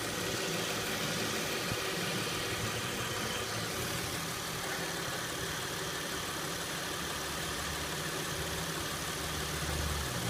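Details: 2006 Acura MDX that just started making this noise: steady idle with a loose, uneven rattle of a few per second riding over the engine note; rattle at idle, source unknown.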